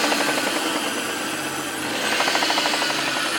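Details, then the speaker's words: Mitsubishi Diamante 6G73 engine: sharp, rapid metallic clatter about three knocks a second; owner suspects a valve, but the stated problem is a worn crankshaft bearing shell; a whistling belt is also heard. "Вот это по-любому клапана надо. Я говорю, это клапан, скорее всего. Это клапан, скорее всего. Здесь больше бренчать нечем в движке."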